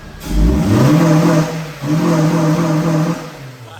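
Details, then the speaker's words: MK1 Honda CR-V with new distributor cap and rotor arm, multipoint fuel injection: two clean blips, pitch rising smoothly and falling back to a steady idle without misses or knocks; sewing-machine smooth, normal revving. "just like most hondas it's like a sewing machine literally probably got the power of the sewing machine as well"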